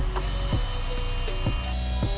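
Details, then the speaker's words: 1982 Porsche 911 Slantnose, not run in over 20 years: a newly installed electric fuel pump at key-on gives a steady high whine with soft clicks about twice a second. Normal; no fuel leaks. "you can hear this bad boy whining making noises I don't see any fuel leaks just some oil leaks"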